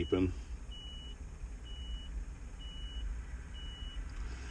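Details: Takeuchi TB135 mini excavator diesel after full glow plug cycle: cranking too slowly to start on a weak, likely worn-out battery, then steady high beeps about once a second over low rumble; low-battery alarm, needs a jump.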